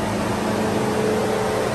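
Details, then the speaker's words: GMC Yukon cooling fan roars steadily at full blast without cycling down, far louder than usual, and reportedly keeps running with the car off; temperature gauge actually read zero. Radiator fan stuck on high, coolant temperature sensor suspected. "my wife came home and she noticed that the Yukon was making a lot more noise than usual from the fan so you can hear it here"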